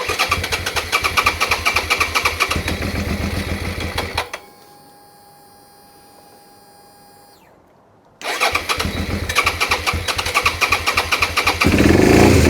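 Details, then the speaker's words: Suzuki SV650 motorcycle that starts, runs a second, then shuts off: it cranks, catches, runs briefly and cuts out, then fires again after a pause; the mechanic suspects fuel starvation or very low fuel and plans to remove the tank and fuel pump. "Not convinced. It's entirely possible we've got very little fuel in it and we're running the fuel out of the tank up."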